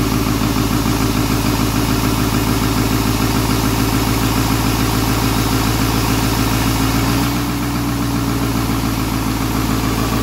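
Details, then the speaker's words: 7.3L Powerstroke turbo diesel (Navistar T444E), first start after almost 2 years crated: steady idle with even rapid clatter and a raspy buzz riding on it; exhaust back pressure valve is noisy. "and that back pressure valve is noisy"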